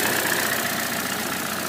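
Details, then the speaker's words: 2014 Chevy Cruze Ecotec after cleaning the coil pack's plug, whose poor contact caused crank-no-start, not a fuse: steady, even idle with smooth consistent note, no misses or stumbles. "it wound up not being a fuse it's just a simple electrical short in the coil pack"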